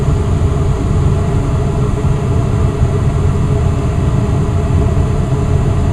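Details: Westinghouse gas furnace indoor unit, installed new in April, viewed from the attic door in heat mode: after the thermostat is turned up the blower shifts from its slow start into high speed, a steady, even low rush of air with no knocks, rattles or squeal; normal.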